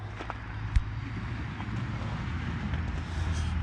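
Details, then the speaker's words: Oliver 50 Series tractor (built 1964–69) with two-stroke Detroit Diesel, factory hydropower, top rpm slightly low needing readjustment before dyno; steady busy low drone at high revs, no knocks or misses, normal two-stroke diesel running. "so no it's not going to blow up that's what a detroit diesel sounds like the people who love them know it"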